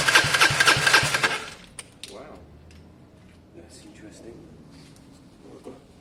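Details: Gilera DNA 125 scooter with a new coil and lead fitted: starter spins the engine about four turns a second for just over a second, never catches, then quiet; cranks but won't start.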